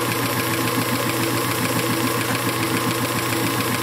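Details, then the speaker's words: Circa 1919 Hjorth lathe, restored with the spindle left unopened, taking a light finishing cut of about a thousandth: a steady, even hiss like a leaky air hose, the desired sound of a normal cut. "that's the sound you want it sounds pretty good actually"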